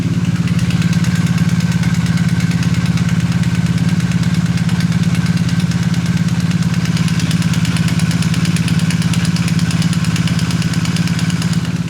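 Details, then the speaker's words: 2020 BMW R1250R warm boxer twin idling, microphone close to engine, before tensioner upgrade; steady fast light ticking only from left cylinder's early-type (2019–2022, 17mm) cam chain tensioner, replaced with 2023+ 19mm version. "You can sort of hear that ticking sound there, and that's only on the left cylinder. The right cylinder you don't hear it."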